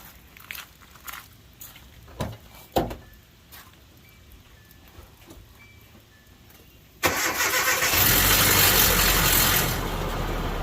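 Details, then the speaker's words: Cold start without priming and with no oil pressure: the timing chain rattles hard because the tensioner spring is too weak or too short, a harsh metallic clatter with a high squeal easing into a steadier idle. "Well, the spring is too weak or it's too short, and you know, when you start these things up with no oil pressure in them, they really rattle hard. They really rattle pretty hard."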